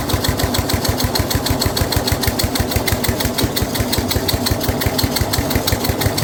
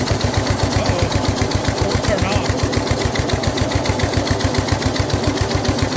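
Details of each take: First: Snapper rear engine rider, Briggs 12 HP single-cylinder, abandoned for years, new carburetor: fast even thumping with heavy laboured edge as mower blade turns when it shouldn't, loading the engine; this load also made starting hard. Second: Older Snapper rear-engine rider with a Briggs 12 HP I/C engine, abandoned for years, throttle worked by hand, no choke hooked up, blade turning: steady, even single-cylinder thump at fast idle, quiet despite the rough muffler. Running healthy.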